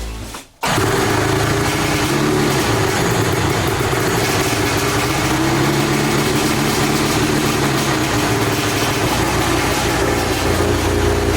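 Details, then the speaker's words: 100HP engine of a 6-foot micro jet boat running on the bench after new custom performance parts: steady loud exhaust drone, far less rattling and clanking than before. "now you just hear exhaust noise instead of just rattle rattle rattle Clank Clank so call that a win"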